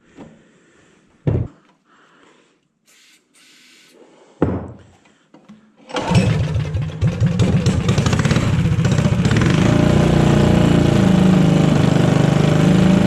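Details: Modified Honda GX160 go-kart engine, first start after rebuild: a few clunks, then catches and climbs to a high steady buzz without stumbling, revving well above the stock ~3500 rpm; runs clean and strong.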